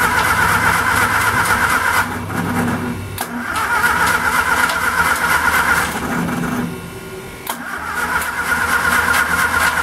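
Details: Homemade DC welder with 1946 Austin Dorset four-cylinder pushrod engine driving a WWII Delco Remy aircraft generator, first start attempt on choke; steady rhythmic cranking for seconds that never fires. No-start, owner then tries pouring gasoline in the carburetor.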